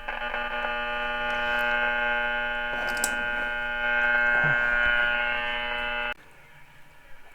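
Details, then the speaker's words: 1932 Philco Junior 80C regenerative radio during alignment: a harsh steady buzz in the speaker that cuts out when the kitchen under-counter halogen/LED lights are switched off; the lighting caused the interference. "I had a lot of buzzing going on there so what I did is I went around cutting things off and found out that it was the lights underneath our counters in our kitchen the halogen lights"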